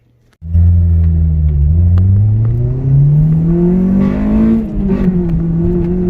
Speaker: like I said it's running good and everything smooth